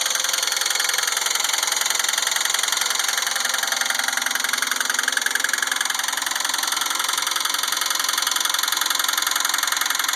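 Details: 2004 Pontiac Grand Prix GTP Comp G petrol engine idling with a steady, sharp knock about three times a second over the hum.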